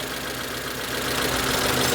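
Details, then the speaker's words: Proton Satria 1.5 petrol, rescued after standing in a field, idling unevenly with a stumbling misfire as if about to die; swapping injectors traced it to a faulty injector, and a compression test showed low compression and oil on cylinder 1. "Yeah. Engine sounds like it's going to die. Yeah. No difference at all really. Right. So, it's got a problem with the injector."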